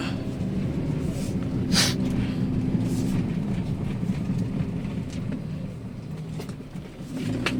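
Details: Daihatsu Sirion on a rough-road test drive after replacing the front rack end, which was the cause of a front knocking: steady tyre and road rumble with only soft thumps and no rattling knock. Front suspension now normal.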